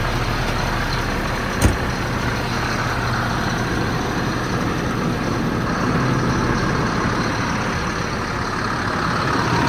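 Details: 2007 Ford F-750, 7.2 C7 Caterpillar diesel, six-speed manual, 269,113 miles; steady low diesel rumble at an even idle with no knocks, misses or squeals, a healthy idle.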